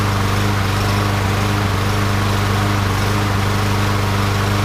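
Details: Yard Machines mower, Briggs & Stratton 550EX 140cc single-cylinder, 2013 engine, first start after swapping in a cleaned used carburetor: runs steady but uneven and hunting, irregular firing pulses. Lean mixture from the carburetor suspected, not confirmed.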